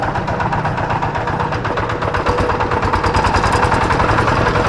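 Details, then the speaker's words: Kubota G3000 diesel tractor idling; easy start, good power and compression. Heavy rattling knock about three per second. Teardown found the flywheel-end NF308 bearing pitted, causing the rough sound. "Suaranya sangat kasar sekali ya ini dimungkinkan menurut saya ini bisa jadi ini adalah lakernya atau piringnya dimana piring yang dekat dengan roda gila atau bearing yang dekat dengan kita"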